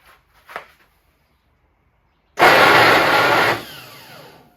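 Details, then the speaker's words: 1967 VW Bus, starter cranked while inspected: harsh whirring grind for a second as it spins without catching, then winds down; starter pinion teeth found badly worn, flywheel fine, new starter ordered. "(Starter is making weird noise) Sounds bad! Unbolting top part of starter Whoa! Look at the teeth! That's very bad!"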